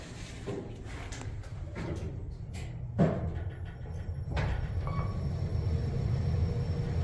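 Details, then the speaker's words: Kone KSS 500 Ecodisc elevator, likely installed 2006, car slightly over-leveled: irregular clunks and knocks as the doors work, then a steady low hum as the car starts; door operator sounds rough, cause not confirmed. "That door operator could use a little bit of help. A little bit of help."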